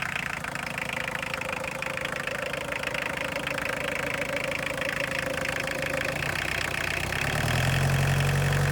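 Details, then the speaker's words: Boneyard diesel car unstarted about a year, cold start on a 20°F February day: steady diesel clatter at idle, about four beats a second, climbing when revved; sounds like a healthy diesel. "I guess the battery wasn't dead. Rev it up a little bit. Sounds like a diesel."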